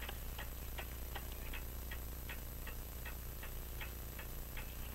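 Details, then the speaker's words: French crystal regulator clock with open escapement and jewel pallets, after being set in beat: crisp, evenly spaced ticks about two and a half per second with no limp between tick and tock; clock running in beat. "the French crystal regulator with the open escapement yeah here it is with a better beat I think you can hear it"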